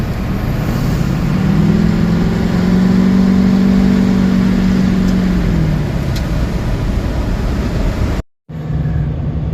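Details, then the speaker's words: LBZ Duramax diesel pickup after fitting a 5-inch straight-pipe exhaust, checked for no exhaust leaks: deep rumble swells under throttle then eases, even and free of rattles or leak hiss. "It does have that classic Duramax sound when you step on the throttle. It has the classic uh Duramax sound."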